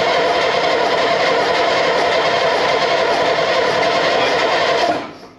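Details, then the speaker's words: Second AEC Matador diesel engine, rocker cover off: starter cranks about five seconds with no firing, heavy smoke of unburnt fuel, not oil; no start, cause suspected not confirmed, manifold warmed with blow lamp next. "there's a lot of smoke there's a lot of smoke and it's all unburnt fuel it's not oil it's unburnt fuel"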